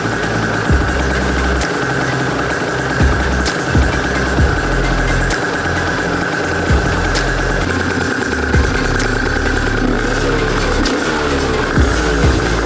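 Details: Aprilia RS 125 two-stroke barn find, first start after years sitting, on 1:40 premix, after fixing a leak: crisp beat with light throttle blips, picking up cleanly and running evenly; healthy normal running, no longer leaking.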